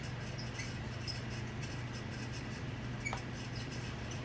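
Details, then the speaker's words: Leading Edge 4820-1 48-inch commercial ceiling fan from about 1994. A steady low motor hum with scattered high chirping squeaks from totally dry bearings, whose grease has degraded from motor heat. "the parent starts squeaking actually pretty bad now like said they're totally dry"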